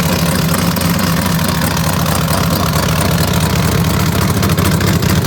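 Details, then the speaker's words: Turbocharged 6.0 LS swap V8 with big cam and 76/78 turbo, after replacing injector connections, no fuel leaks: loud choppy idle with deep uneven lope, a couple of pulses per second, steady and strong; normal big-cam idle. "It sounds mean. I ain't gonna lie to you. It sounds mean. It sounds danger. That cam shot, boy, shopping."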